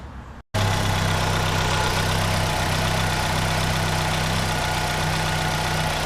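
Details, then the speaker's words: 2010 Chevrolet Aveo 1.6 Ecotec after replacing the valve cover with integrated PCV to fix a vacuum leak and misfires; settles into a smooth, even idle with a steady low hum, no hiss, check engine lights gone. "it's amazing how valkir make it run brand new ain't that amazing absolutely amazing no more check engine lights"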